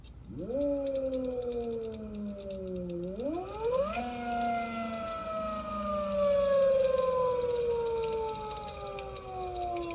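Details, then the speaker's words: 96V electric motorcycle conversion on a Fardriver controller with a phase current overflow error, after changing Ki settings to 1-1-1. Smoother than the earlier low-RPM scraping, but the whine rising and falling with speed still sounds slightly off; a controller fault is suspected. Motor whine. "so sounds a lot smoother sounds a little bit better but kind of still feel like sounds a little weird in regardless because it changed within changing settings in the controller"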